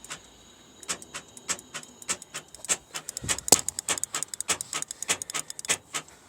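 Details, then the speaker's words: Seat Ibiza interior door lock not working: crisp mechanical clicks from the door lock in quick pairs, sounding like it locks then instantly unlocks; cause unknown, door lock actuator double click. "I was saying like it sounds like it's unlocking and then locking sorry locking and then unlocking"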